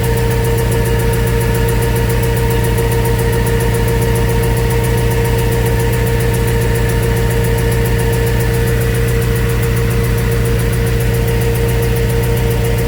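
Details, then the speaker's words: Before repair, the car runs rough at idle with an uneven, lumpy beat and a dull tick about twice a second. The tick seemed to come from under the car and was first thought to be exhaust. "all right so that was the ticking noise that was in the car um didn't know what it was from it sounded like it was coming from the bottom of the car"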